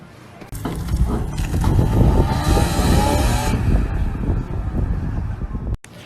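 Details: E36 with an S54 engine swap pulling away from a car meet, recorded from outside: as the revs climb, a harsh, tinny rasp rides over the exhaust note; the raspy rattle is blamed on the first exhaust section after the headers.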